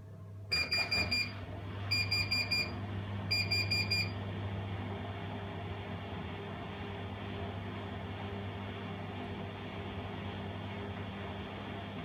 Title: bosch MAXX 6 washmachine won't start buzzing